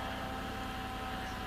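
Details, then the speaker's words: 2007 Chevrolet Impala LT at idle: thin, steady whine above a quiet idle, pitch dropping when the steering wheel turns; power steering whine, owner attributes to low power steering fluid. "so do you hear that whine I don't know how well it's audible but I know it's power steering cuz every time I turn my [Music] wheel it changes the pitch pretty much goes to a lower"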